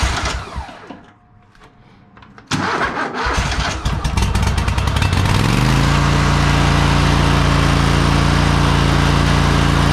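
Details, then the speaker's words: 2007 Country Clipper mower, Kohler CV23S twin, 656 hours, owner had reported a run issue: several seconds of cranking and sputtering before catching, then steady even idle; hard starting, spark plugs and compression to be checked. "definitely a little hard to start there I can hear it let's check the spark plugs over at it"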